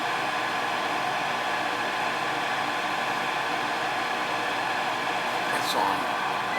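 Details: Ruud gas furnace in heat mode not firing up: steady draft inducer whir with no ignition or burner light-off; vacuum switch checked, tech suspects the control board if it doesn't click.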